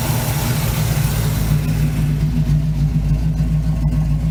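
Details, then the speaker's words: 1971 Chevy C10 V8, long yard-sitter, restarted after an arcing cable fire was fixed: deep, steady burble at a slightly raised idle, even rumble with no misses or knocks, normal healthy idle. "We'll fix it, and then we can get this thing started again. Idles up a little bit."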